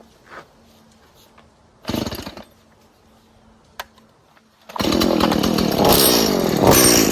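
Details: About 19-year-old Stihl MS170 chainsaw that needs a lot of fuel and bogs: weak, uneven idle, then hesitant revving that roughens at full throttle as it struggles to pick up; an air leak is suspected, not confirmed.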